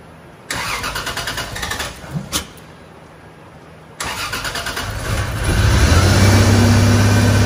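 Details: 1986.5 Toyota Supra MK3 with 2JZ-GTE VVTi swap on EMU Black ECU, first start after fixing cam and crank VR sensor polarity: two cranking bursts, then catches and runs rough, lumpy, rising unevenly; injectors and idle not yet tuned.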